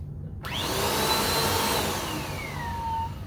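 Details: 2017 Bissell Powerforce Compact 2112 vacuum after brush roll bearing swap, rotatable assembly adjusted to reduce noise: loud steady roar with a thin whistle sliding down in pitch that persists; abnormal running noise.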